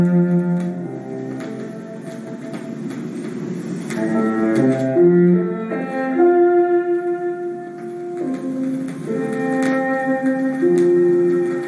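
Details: Fournier DG set classical LP (Beethoven cello sonatas), noisy on lead-in; cello and piano with scattered clicks and faint crackly hiss from groove grime, before-and-after cleaning comparison, noticeably quieter after cleaning.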